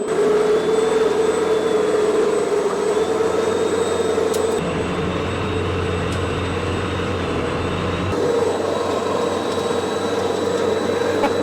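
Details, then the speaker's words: $20 gas snowblower converted to twin electric motors with belt drive, speed controllers and battery, first snow test: steady motor hum with a constant mid-pitched whine dipping slightly under load, no stumble; normal electric drive under load. "Okay, spooling up. Here we go. First test of the electric snowblower."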